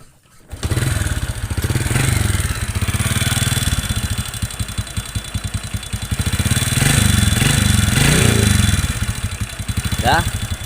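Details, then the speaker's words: Honda Revo motorcycle that doesn't smoke but runs noisy, idling and blipped: a busy metallic ticking rides on every firing stroke. The piston is loose (piston slap), and the fix is reboring with an oversize piston. "Itu motor ini memang enggak berasap. Tapi pistonnya oblak, jadi dia ngetek."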